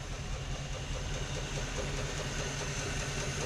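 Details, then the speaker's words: 1955/56 Oldsmobile Rocket 88 with 324 V8, first run after sitting 22 years, idling with good oil pressure: steady even low idle, no knocks or misses, little smoke or blow-by, though a vacuum leak is suspected; normal idle. "sounds good. Don't have a lot of smoke or blow by. That's awesome."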